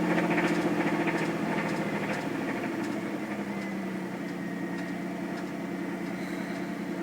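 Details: 1997 Camaro with 3800 engine, a bad motor; sharp regular tick about three to four a second over a steady idle; internal engine knock, cause not yet found.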